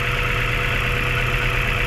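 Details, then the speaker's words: Mazda 3 after top overhaul, strong vibration at idle persists with the hydro vacuum line pulled and the intake port capped: steady idle with a lumpy, uneven pulse underneath; injectors, four ignition coils and spark plugs already tested OK. "tatakpan natin yung intake kung ma so hindi pa rin nawala yung vibration mga boss Ayan sobrang lakas pa rin ng vibration"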